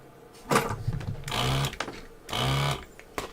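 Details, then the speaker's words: Desoldering pump on a 1960 Decca Debonaire radio restoration: two short bursts of pump hum, strained and choked rather than free-flowing; it sounds blocked and is struggling to desolder. "That sounds blocked. I was watching a thing on someone reviewing these the other day, soda suckers, and it looks like Hacko may be the way to go if you got a spare 400 quid."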